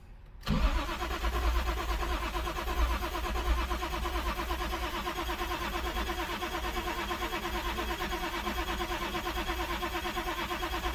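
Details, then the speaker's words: Toyota Supra after sitting since 1995, starting fluid sprayed into intake: starter turns engine steadily for ten seconds but it never catches; cranks without starting, cause not yet known, plugs to be pulled next. "Come on, baby. Nothing. All right, no success."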